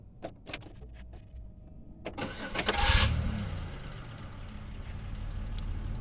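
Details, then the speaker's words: 2004 Chevy Impala 3.4 after coil pack replacement: a few light clicks, then a sharp high screech as the starter drags while cranking before the engine catches and idles without misfire; owner suspects the solenoid or starter. "that Screech noise that was the starter but hey we don't have no misfire"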